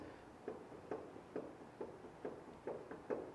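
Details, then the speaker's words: 2014 Racer Engineering four-seat sand rail, front end rocked by hand during inspection. Dull, hollow clunks about twice a second from a front heim joint with significant play; the other joints have slight play. "It's hard to see it, but you can probably hear it. Clunking. So, that one's got pretty significant little amount of play."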